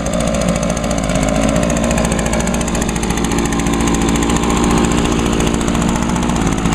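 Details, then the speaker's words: Echo SRM 2201 two-stroke trimmer, started on choke after storage: loud steady buzz with even rapid firing, no stumbling or surging; runs as well as six years ago. "all right yep still runs as good as it did six years ago"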